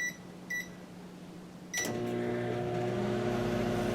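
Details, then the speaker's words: Generac standby generator powering the house during a microwave test: two short beeps, a pause, then a clunk as the microwave's low hum and fan come up smooth and even; generator running perfectly. "Sounds like it's running perfect."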